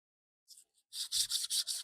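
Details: VW Polo strut top mount bearing during a lift kit install: soft, even rubbing strokes as the bearing is turned by hand, smooth with no grit.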